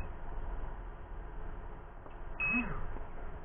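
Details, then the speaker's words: Turnigy 9XR Pro transmitter with Banggood 4-in-1 multiprotocol module v1.2, drone receiver, auto-bind on: lone sharp beep over low background rumble; transmitter sends the bind signal but the receiver never binds. "you can hear it sending the vine signal but nothing is happening to the drone"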